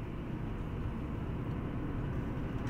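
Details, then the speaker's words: 2015 Hyundai i20 1.2 at 222,000 km on post-repair test drive after new discs and pads, earlier bearing noise: steady road and tyre rumble, no grinding, humming or clicking; mechanic reports no noise, wheels quiet. "Dün bir ya da ses vardı arkadaşlar bakalım şu an var mı bilyede ses ustamız Onu kontrol ediyor duyabildin mi bir şeyler herhangi bir ses yok dedi ustamız"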